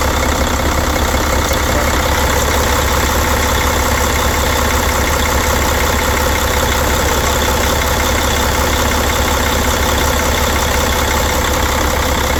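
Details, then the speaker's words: 2004 Mercedes OM460 diesel idling cold, showing blow-by: a loud, steady idle with an even beat and no knocks or misses, so the engine runs well. The water pump leaks and sprays antifreeze when hot; mileage unknown. "Here's the blow-by. The engine runs real good."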